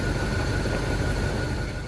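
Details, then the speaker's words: 1977 Chevrolet El Camino, 350 cubic-inch V8, after alternator and battery tests: smooth, steady low rumble, even idle with no stumbles or misfire; engine running well. "finally you can hear the sound of a good running engine it's not missing and it's in good working"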